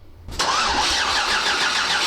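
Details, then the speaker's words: 6.8L LS3 stroker in a '55 Chevy pickup on its first start, with coils hung: the starter spins the engine steadily with a bright whir but it never catches and there is no spark; the cause is suspected to be tune-related. "no it's still a duck what's going on that's so weird [Laughter] no spark okay so something tune related"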